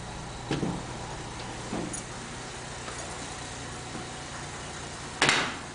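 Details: 1947 International Harvester KB-1 panel truck with an unrebuilt Green Diamond 214ci, cold start at about 35°F after sitting a few days, no fast idle linkage: steady low hum with an even beat and a few stray clatters. Normal idle.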